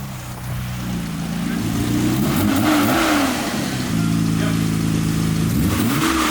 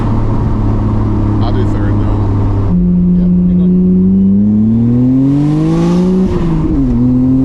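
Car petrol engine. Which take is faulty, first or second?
first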